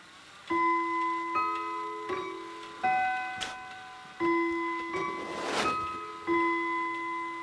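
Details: Howard Miller 61318 clock, Kieninger Westminster chime movement, after bending apart two chime rods that were touching: clean, separate notes each decay evenly with no doubled or buzzing tone; normal chime.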